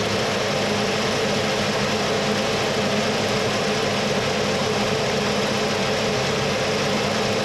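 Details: 1979 Mercury Capri with 351 Cleveland V8, distributor freed and retimed to about 10° initial (about 32° all in): even steady rumble with no misses, knocks or hunting over several seconds; idles smoothly and healthy.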